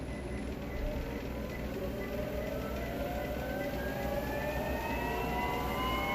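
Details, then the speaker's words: Free Motion treadmill after cleaning the squeaking drive belt, drive motor pulley and roller pulleys with a steel brush: the motor hums steadily and its whine climbs smoothly as it speeds up, now quiet with no squeak. "you see there's no more squeak very quiet you can do it by yourself"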